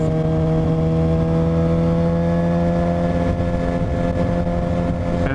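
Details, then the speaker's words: 2007 Suzuki GSX-R 750 running lumpy as if on three cylinders with constant steady high whine; owner suspects stator or regulator/rectifier, battery fell 13 to 9 volts, unconfirmed; misfire with whine. "this weird whining noise that I've been hearing something's up clearly"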